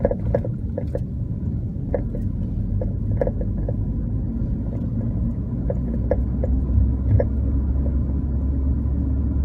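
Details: Car on coilovers driving: sharp irregular clunks from the suspension over a steady low road rumble; cause unknown.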